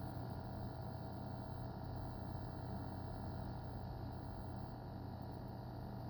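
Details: EVGA SuperNova 1000W G1 power supply: quiet, steady electrical buzz with a constant low hum that never changes pitch; buzzing noise, cause unclear.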